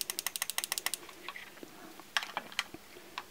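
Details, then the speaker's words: Petrol fuel injector pulse-tested across a 12 V car battery, wire tapped on and off the terminal: crisp, even clicks about ten per second, then scattered single clicks; injector opening and closing cleanly, normal operation. "by taking the wire on and off the battery terminal you'll be able to hear if the injector is opening and closing"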